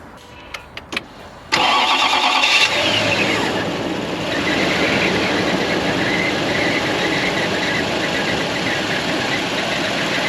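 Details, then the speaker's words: Toyota Land Cruiser 4.7 V8 after the starter was replaced to cure a strange noise on starting: starter catches quickly and the engine settles into a smooth, even idle with no grinding or whine; healthy start. "well guys that was it it's all installed running not making any noise just another repair on this Old Land Cruiser"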